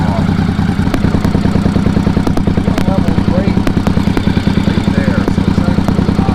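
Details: 1983 Honda Shadow VT500C, warm, engine temperature near center, just after replacing a bent radiator cap over coolant blowing from the overflow (head gasket first suspected): even, steady V-twin idle around 200 beats a minute, no skips or mechanical noise, healthy.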